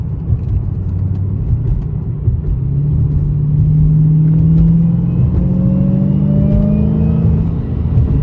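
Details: 2015/2016 Dodge Challenger Hellcat supercharged V8 on test drive after spark plug fix for P0300 multiple-cylinder misfire: deep, even rumble with clean whine climbing in pitch as car pulls; normal supercharger whine, no check engine light.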